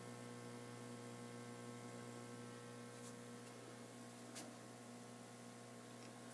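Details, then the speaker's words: Atari Asteroids arcade machine just switched on after reconnecting the monitor: constant low hum with a steady buzz, unchanging. Hum in the game audio, source still not traced; the owner can live with it for now. "Now you can hear a pretty good hum from the Asteroids machine."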